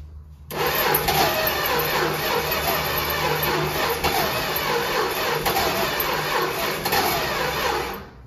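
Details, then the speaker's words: 1964 Dodge Dart wagon, 170 slant six, parked over 25 years: it cranks steadily about seven seconds, roughly three beats a second, without firing; owners suspect weak spark (plugs or wires) or timing, not confirmed. "It's like got like a weak spark or something. Like maybe those plugs need to be changed or the wires, you know."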